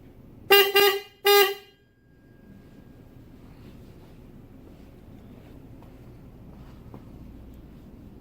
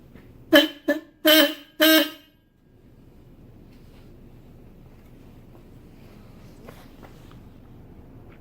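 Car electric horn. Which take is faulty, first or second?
first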